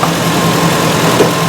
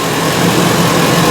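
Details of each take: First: Ford E350 5.4L V8 van at idle after the misfire repair: steady, even hum with no stumbles or skips throughout. The engine fires cleanly on all cylinders, a normal idle. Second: 2010–2014 Ford E350 5.4L V8 at idle, uneven loping beat with an irregular stumble; scanner shows P0301, cylinder 1 misfire (cylinder 2 also flagged in misfire test); coil removal next, cause not yet confirmed.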